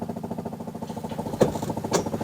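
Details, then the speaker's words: Classic VW Beetle electric fuel pump, heard with engine started cold during electric A/C install: loud, fast, even ticking buzz of about twenty pulses a second; owner plans to replace pump as too noisy. "I'm going to replace this fuel pump cuz it's too noisy"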